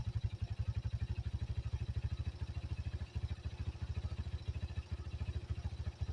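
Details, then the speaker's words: 1985 Yamaha Moto 4 ATV after old carburetor replaced with a new one; steady thumping idle, even and unbroken with no misses or hunting: normal idle. "But she is quiet. I mean, she's like running. I've never seen her run like this."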